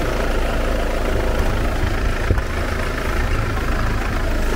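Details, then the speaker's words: 2011 Mercedes C200 W204 2.2 CDI diesel, manual gearbox, idling with bonnet open and engine acoustic cover removed: steady, even low rumble with usual diesel clatter, audible but not excessive, no knocks or misses; quieter with bonnet closed. Normal diesel idle. "se aude un pic, dar nu exagerat de tare, nu exagerat de deranjant. Iar cu capota închisă, lucrurile stau altfel."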